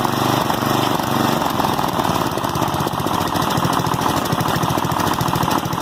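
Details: 1988 Westwood T1200 ride-on mower, 12 hp Briggs & Stratton single-cylinder petrol, after governor spring replacement, a little throttle: quick even putter, no misses or surging; runs normally, idling a touch high.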